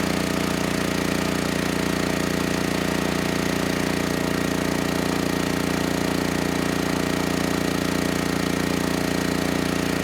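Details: Generac GP6500E generator after repair of seized engine, warmed up, under heavy load up to 6,000 W near max: smooth, steady drone with no hunting, knocks or surging; held 121 V, just below 59 Hz, no issues handling load.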